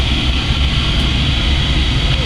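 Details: Oil-fired boiler/hot water heater running after zone four kicked in: steady, deep, even roar with soft hiss on top, no puffing or surging; burner firing normally.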